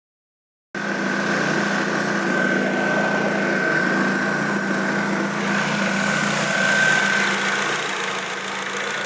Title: Exhaust leak :/